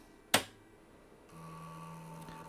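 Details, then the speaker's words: IBM 7496 second 720K floppy drive, heads moved fully forward, then the switch flipped: a sharp click and a short steady buzz as the heads step back to track zero. This is normal seek behaviour. "and the heads moved to track zero. So that is what we expected from the second drive."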